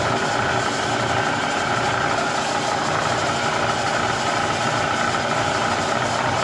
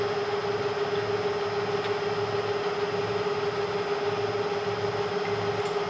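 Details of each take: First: Bridgeport Series 1 2HP variable-speed J-head before repair, noise worsening over time: constant rattling, rubbing racket under the motor hum. It persists with the drive disengaged below the vari-speed, so the owner rules out spindle bearings and bull gear and blames the upper half. Worn belt, pulley bushings and bearings. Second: Bridgeport Series 1 2HP variable-speed J-head after repair: quiet, smooth whir with one steady mid-pitched tone and no rattle, knock or squeal. Quieter than ever, barely audible even at 600 rpm. Normal quiet running.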